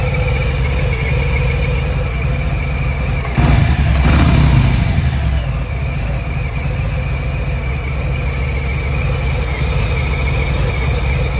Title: Buzzing/clicking Noise from cam area on Milwaukee 8 114